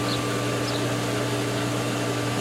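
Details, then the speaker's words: Pool pump priming at opening with both pumps started: steady motor hum with faint gurgle and flutter as air purges through system and solar refills; chlorinator shaking, indicating air purging. "air is going through the whole system now it's got to refill the solar"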